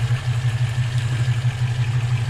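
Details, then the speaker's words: Volvo B18 with Weber 32/36 carburetor after idle mixture and speed screw adjustment, on the road: drops into an even, deep, steady burble at a stop, no stumbles or hunting; normal idle. "so the test here is when i come to a stop at a light whether it drops into idle nicely or not whether we're chunking along or whether it dies or picks up so that seemed to work pretty good dropped into a nice idle"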